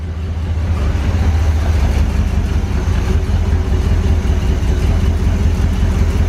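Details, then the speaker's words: Barn-find 1970 Corvette V8, run from a gas can, no temperature yet: loud lumpy idle with a stumbling beat as one cylinder tries to fire; likely a fouled plug or bad wire. "that other cylinders starting to hit you can hear it it's trying to fire that's just a bad plug or a wire"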